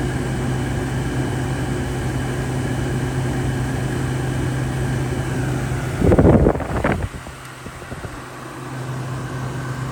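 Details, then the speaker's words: Used, deep-cleaned Frigidaire window air conditioner blowing not-cold air: only a steady fan hum and airflow, then a short clatter, with no compressor note. Owner suspects the compressor hasn't kicked on. Compressor not running. "And to me, it doesn't sound like the compressor has kicked on. Sometimes you walk into this room and the settings are exactly the same, and it's not really doing anything."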